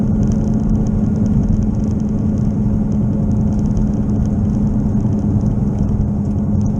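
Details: Car driven from 15 mph on the driveway up to highway speed: a steady low drone and hum under road noise that worsens with speed, at first mistaken for an engine knock; a bad wheel bearing, not yet fixed.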